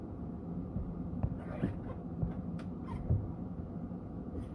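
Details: Ford F250/F350 Super Duty V10 after replacing the fuel filter with a new Motorcraft one: steady, even low rumble with no misses or stumbles over five seconds; smooth, normal idle.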